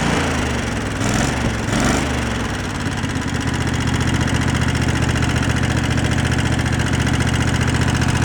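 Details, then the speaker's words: Two-cylinder board track motorcycle after idle was turned down and air-fuel mixture adjusted (previously running on one cylinder with idle set high): after a rough start, low idle with quick steady clacking on one side, about four per second; valve clatter. "seems pretty good but you hear the vows clapping away on that side"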